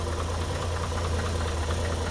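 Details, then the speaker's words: 1951 Chevrolet Styleline Deluxe, 216 ci six, 6-volt system, Powerglide, about 56,000 original miles, restored in 2001: very quiet, smooth low hum at idle, even beat, no knocks or ticks; normal idle. "There you go. Man, you can barely hear it, huh?"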